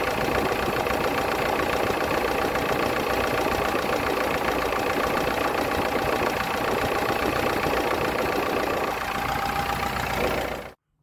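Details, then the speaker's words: Chevy S10 pickup, sat for years, idling after vacuum leaks were fixed: busy, fast valve-train clatter over a steady idle; owner hopes it clears up after fresh fuel, added oil and driving. "she still has a lot of valve clatter we haven't drove it too far it had been sitting i forgot how many years but it's been sitting for a long time"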